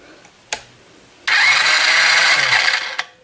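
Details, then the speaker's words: Yard-sale Chinese ATV, spark plug removed, turned over on ignition: about one and a half seconds of brisk, even starter whirring with no grinding or dragging; normal healthy starter cranking. "sounds a bit a good starter"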